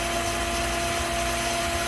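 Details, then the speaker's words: Waste-system pumps under the sink running after the water is turned on: a steady motor hum under rushing water with no grinding or labouring. One pump runs continuously, while the waste pump, whose wah-wah cycling would be a problem if constant, runs normally. "You can hear 2 pumps going right now. There's the one that is running continuously."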